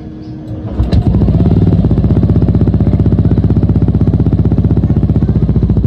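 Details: Yamaha NMAX V2 after top overhaul (new piston and rings), scan tool shows no trouble codes and correct RPM: catches after short crank, even steady thump about three beats a second; normal idle.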